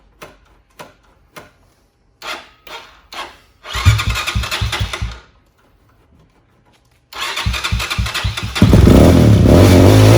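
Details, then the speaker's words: Venom motorcycle being taken out of storage, choke on: the starter cranks in short bursts, the engine catches briefly and dies, then fires and keeps running. The fuel line was removed from the carb to purge an air pocket. Suspected fuel starvation after storage. "Now you see, we let it shut off there. You see now that when I removed the fuel line from the carb, it just gave direct gas to the carb. It took all the air lines, or all the air pocket out."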